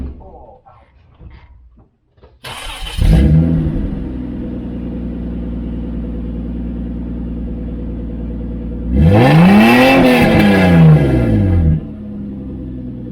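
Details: Toyota Land Cruiser with catalytic converters removed and a new muffler welded into the exhaust: engine catches, idles evenly, clean rev rises and falls smoothly; well muffled, down from 137.2 to 128.7 dB; normal exhaust note.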